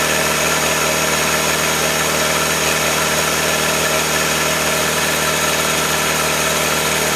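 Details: 1966 Allis Chalmers HD4 with rebuilt 1985 Gleaner F2 433IT combine diesel engine: smooth, even idle with steady low throb, no knocks or misses; healthy engine.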